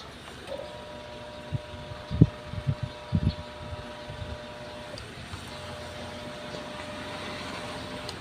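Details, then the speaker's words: Sharp single-tub washing machine: steady electrical hum with handling knocks and no drum turning; the motor only hums and won't spin. The repairer says such humming means the motor is grounded, and the capacitor holds a dangerous 110 V charge; cause not confirmed. "so ayan kasi pagka ganyang umuugong na grounded na po yan eh"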